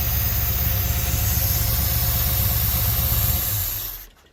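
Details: 1972 Chevy C10 crate 350 V8 that had sat for 8+ years, first run with a new coil. It idles steadily with a slight cam lope and no knocks or lifter tick, then shuts off; a healthy normal idle with a mild cam.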